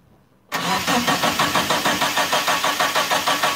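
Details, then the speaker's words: GST Eclipse's first start after nearly 9 years sitting: steady, even cranking at about three compression beats a second that never fires, with no fuel pump prime heard. A later scan pointed to the fuel pump or its wiring. "so right off the bat uh i don't hear the fuel pump priming um i'm gonna have to check the wiring on that"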